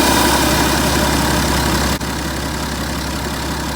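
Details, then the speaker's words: BMW 530d F10 diesel idling, hood open: loud air rush into the intake inlet drops away when the EGR valve is opened by hand via its lever, showing EGR opening cuts intake airflow; normal intake air rush at idle. "That noise disappearing is the airflow. You can hear the air rushing into that inlet there."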